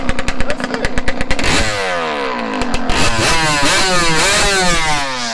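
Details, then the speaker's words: Yamaha YZ125 two-stroke after carb adjustment, about 20°F outside: crisp even popping idle then sharp throttle blips rising and falling cleanly without bogging; normal two-stroke idle and revving. "i'm pretty sure right there is good she sounds good right now y'all i ain't gonna catch she sounds good"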